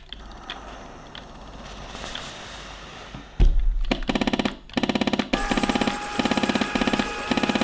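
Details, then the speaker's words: Beautural handheld garment steamer, heated up with trigger pulled: harsh fast buzzing rattle in on-off bursts while no steam comes out; suspected pump not delivering water from the reservoir. "But this one, although it's heated up, it makes a weird noise. And it's warm, but nothing's actually coming out. I think it's a problem with the pump. It's not pumping the water through to produce the steam."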